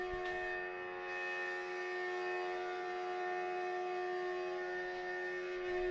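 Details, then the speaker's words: 2008 BMW 335i E92 N54 6-speed with a no-start, ignition completely off: a steady high-pitched whine keeps running, and the fan is running. The owner suspects the ECU/DME or water pump; the DME shows no connection. "Now listen to this really strange noise that happens when the car's completely"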